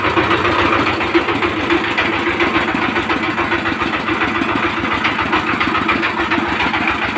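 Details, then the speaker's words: 20 hp single-cylinder Chinese diesel power tiller engine before valve clearance adjustment: rough uneven idle with tapping knock and occasional stumble, a thumping, drum-like knock from incorrect valve clearance; runs smoother once adjusted. "তো আপনারা এই সাউন্ডটা তো শুনলেন ইঞ্জিনটার সাউন্ডটা একটু problem আছে মানে একটা ধাক্কা মারছে অরিজিনালি মিসফায়ার আসছে একটা ছোট আর একটা সাউন্ড একটা অন্যরকম আসছে"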